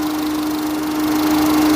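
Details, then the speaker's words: Peugeot 207 after curing an oil leak, engine warm at idle: steady hum with constant cooling fan whirr over a quiet, even idle; fan on at temperature, no leaks. "that's the fan on that's got up to temperature there's no sign of any leaks anywhere"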